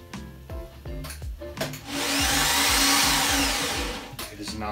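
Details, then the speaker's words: 1995 BMW E36 M3 with a rebuilt S50, first start after the fuel had been disconnected: a few slow cranking pulses, then an even high electric whine with no engine rotation. The starter seems to be spinning freely without engaging the flywheel. "yeah we had the fuel disconnected so hopefully the battery is good solid start sounds like the starter is not grabbing the flywheel"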